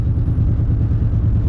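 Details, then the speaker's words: Truck with a freshly rebuilt engine upgraded for towing, at idle. Loud, deep, rapid exhaust chuffing with an even beat. All six manifold-to-Y-pipe bolts snapped, leaving the exhaust manifolds open. "The reason that you hear the exhaust is because I snapped every manifold bolt"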